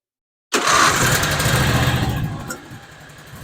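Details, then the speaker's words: John Deere Z425 zero-turn mower, twin-cylinder Briggs that had run on one cylinder and choked itself out, restarted after repair with carburetor cleaner sprayed in: catches, revs, settles to a steady even idle; running smoothly. "sounds a lot better now lots better okay"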